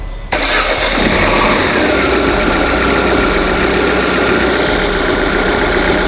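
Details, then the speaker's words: Peugeot/Citroën 2.0 EW10 engine after replacing the valve cover with damaged diaphragm: quick clean start into a smooth, steady idle with no ticking, rattle or the earlier annoying noise; normal start and idle. "e é isso aí agora funcionamento normal sem barulho chato incomodativo aí certo"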